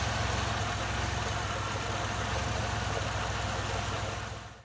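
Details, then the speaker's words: 1997 Chevrolet Camaro RS, 3800 series 3.8 L V6, P0303 cylinder 3 misfire at idle: quick, uneven ticking over low hum; owner suspects plug wire not seated or cracked boot, wires about 1.5 years old. "I think that the spark plug wire itself might be the issue either it's not connected to the end of the spark plug properly or the boot might have a crack in it or something"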